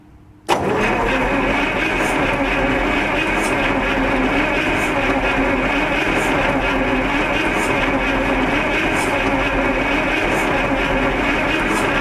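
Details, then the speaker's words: Onan 140 WE generator's 884 cubic inch V8 on its first test run, ignition on, hand on throttle, fuel line bleeding. The starter churns slowly and laboriously for over ten seconds without firing; the battery sounds really weak. Slow cranking. "guys not a lot man that battery sounds really weak I was hoping that battery have some more energy in it"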